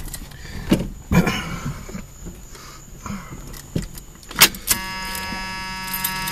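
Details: Carbureted car about 5 hours after its carburetor was cleaned by soaking it with starting fluid: keys rattle, then the ice-cold engine catches on the first try and settles into a smooth, steady idle. It sounds better than before and idles fine.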